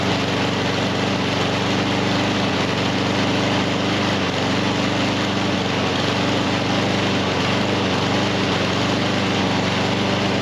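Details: Husqvarna HU700F mower that runs a while then dies, after parts greased and a slightly stuck pin freed; loud uneven petrol drone, irregular lumpy beat about four per second; rough running, cause unconfirmed.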